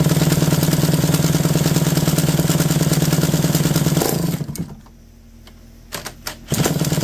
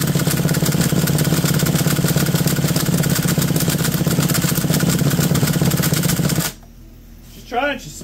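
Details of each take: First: McCulloch D44 two-stroke chainsaw, reportedly not run in 15 years and previously a hard, stubborn starter, revived; fires up and holds a steady even buzz, could use a little more revs: normal running. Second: McCulloch D44 direct-drive chainsaw, not run in 15 years and previously a hard starter, with good spark and much WD40 in it; uneven sputtering for about six seconds then dies; owner suspects WD40 or a spark plug failing under compression; hard starting.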